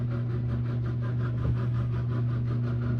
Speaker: See, but you still hear that. I shouldn't have that on.